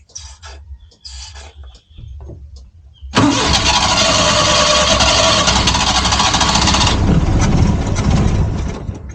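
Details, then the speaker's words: Suzuki Multicab with crank-no-start, fuel poured into carburetor with choke closed: clicks, engine catches, runs hard about four seconds then sags as fuel burns off; fuel supply fault, carburetor to be removed and cleaned. "So umandar siya guys. So ibig sabihin ang problema niya is ah fuel supply."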